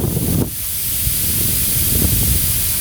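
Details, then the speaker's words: Steady high-pitched hiss of air escaping from a punctured bicycle inner tube, pumped up hard to locate the puncture before patching, with some handling noise. "Для цього я накачаю сильну камеру. Досить сильно. Досить сильно. Стоп. Чуєте, шипитись? Ось воно."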